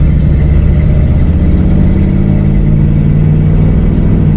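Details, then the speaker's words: 1959 AMC Rambler three-speed automatic that sat 40 years, after Seafoam Trans Tune treatment (filter not yet changed), driving first to second: engine pitch climbs then eases as it drops smoothly into second, no slip or flare; shifting fixed. "Second gear. Easy, boom, that's it. It's fixed."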